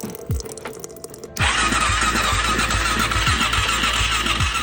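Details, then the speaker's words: Kawasaki KFX400 ATV no-start: starter churns about four beats a second but never fires despite a jump box; compression only 45 psi, zero intake valve clearance holding the intake valves open and leaking compression. "compression test showing us 45 PSI that seems low we've got zero clearance on that one zero clearance on that one I think what's happening is that we're just holding open the intake valves"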